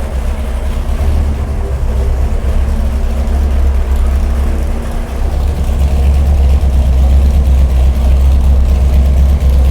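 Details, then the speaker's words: Big-block Chevy 489 V8 on a dyno, freshly built: uneven, loping idle with a regular stumble about three times a second where one cylinder isn't firing; suspected plug wire fault, plug gap also questioned. "got one cylinder that's not working. Let's check the wire."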